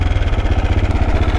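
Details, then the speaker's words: KTM Duke 690 single-cylinder at idle: lumpy idle with quick even thumps and a faint light tick on top; rider unsure whether it made the sound before, source unknown. "I want to dip it. Is that ticking?"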